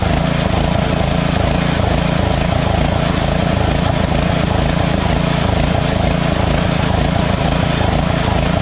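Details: White Outdoors by MTD lawn tractor, Briggs & Stratton V-twin, after cleaning the carburetor, running choked then partly off choke: loud steady run with slightly uneven pulsing beat, still hunting at idle; carburetor still suspect, intake manifold gasket checked and fine.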